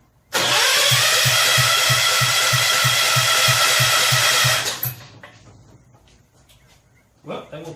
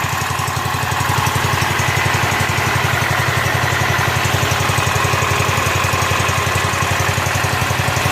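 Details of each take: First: Rebuilt 10 hp Kohler K241 in a John Deere 210 garden tractor, cranking on full choke after cleaning the points: starter turns steadily with no catch because the coil hot wire was left unhooked; once it is connected the engine runs. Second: Rebuilt Kohler K241 10 hp single-cylinder from a John Deere 210 garden tractor, muffler hung on with wire, fed by tube in gas can: quick, even exhaust thumps at steady idle, no misses, knocks or surging; normal idle before idle mixture screw adjustment.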